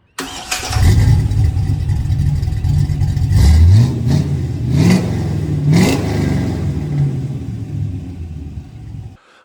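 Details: 1965 Chevrolet C10 V8 with home-built exhaust: starts and blips several times with deep clean rumble, no rattles or leaks heard; exhaust sounds healthy.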